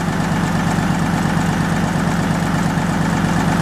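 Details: Lister JP3 diesel generator, crank-start, on a test run after a water pump rebuild: a steady, even chug with a low thumping beat and no misses or knocks. Normal running.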